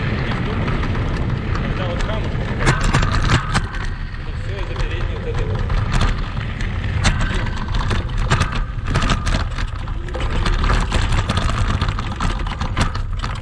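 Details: Kugoo Max Speed electric scooter on sandy off-road terrain, camera on the front stem: constant clattering and sharp knocks on every bump over rolling tyre noise; noise points to the front fork and a squeaking spring shock.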